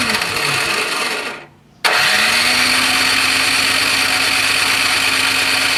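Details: Toro Power Clear 621E snowblower, 163cc OHV four-stroke, found with water in the fuel: the electric starter whirs at a steady pitch with no firing pops at all. Contaminated fuel and a blocked jet; cranks, no start.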